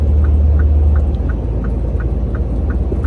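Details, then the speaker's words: Truck with light, even ticks about three a second under the steering wheel over deep engine rumble; not a steering fault but a dry, under-greased steering joint. "이게 핸들 적 이상이 있는게 아니라 구리스가 모자랄 찌든 소리가 납니다"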